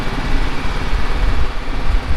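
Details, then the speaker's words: John Deere L110 automatic ride-on mower, about 606 hours, just started with choke: low, steady idle rumble with no knocks, misses or rattles; engine sounds okay; transmission whine is the separate complaint. "the motor sounds okay can't really see that 606 hours on the hour meter"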